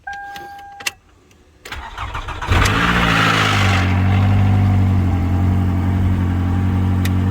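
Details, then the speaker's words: 2010 Toyota Camry just after fitting a new VVT solenoid: engine cranks, catches and rattles harshly for about 2 seconds on first startup, then smooths to even idle as oil pressure builds; startup rattle, VVT fault not cured. "it did rattle pretty good upon the first startup but it sounds good now now it sounds pretty good so it rattled there for like 2 seconds and then it smoothed back out once the oil pressure built up"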